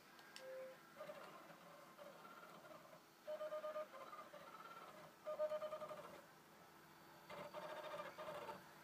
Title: Xbox 360 slim strange noise when reading disc